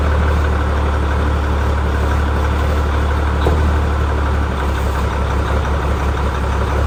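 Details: Ford L9000 heavy diesel truck after post-show repairs, new filters, new battery cables and new gear-reduction starter, two of four batteries low: heavy clatter settles into a steady, even low idle with no misses or knocks; engine running fine, no leaks.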